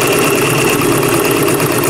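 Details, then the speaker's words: Sewing machine motor while sewing, with a loud, steady buzzing whir from its cheap plastic motor shaft. It works fine and is powerful; owner plans to replace the motor and belt. Noisy motor shaft. "the motor on Pearl it's got this plastic shaft that is really noisy it works but it's really noisy so just ignore that noise eventually I'll change that motor out"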